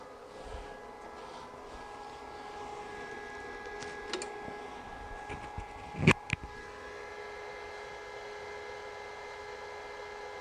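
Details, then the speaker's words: Juniper router fan tray after repair with superglue gel, powered from a -48 V supply, previously making a strange noise: fans run with a steady, even hum and constant pitch, no knocking, rubbing or rattle; healthy. "beautiful so I don't know if you could hear we didn't hear a bang and it seems to read running great"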